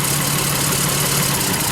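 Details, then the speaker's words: Lexus RX 300 petrol V6 idling with a slightly uneven, lumpy note; check engine light on, misfire traced by unplugging coils, one cylinder shows no change, attributed to a failing ignition coil. "This cylinder, something on this cylinder is not operating properly."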